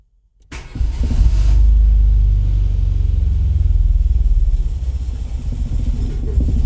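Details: Renault Twingo 1 phase 2 bought broken, reported turbo problem; after refitting everything and reconnecting ignition, engine catches after brief crank then idles with uneven, lumpy, wavering pulse (~4 beats/s); still runs badly, rough running, cause unconfirmed.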